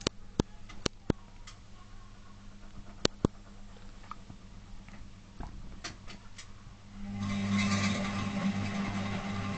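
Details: Zanussi FL1012 washing machine on Program D fast coloureds heavy soil 60°C: scattered clicks, then steady low hum with rough grinding rasp once drum spins, worsening over days; not apparently from drum, owner unsure if worn brushes or motor.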